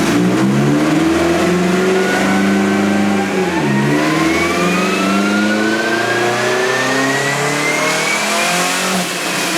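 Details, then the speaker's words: Turbo Sonata on an eBay turbo, on the dyno after new plugs with a smaller gap: engine pulls hard through a long, even rising sweep with no stumbles or misses. Runs smooth and clean but runs out of fuel at 4,000; injectors suspected too small. "But the car does run a lot better with these plugs. Okay. Like, amazingly better. I mean, it's smooth, it's clean, but it just pegs out a fuel at 4,000, which is good."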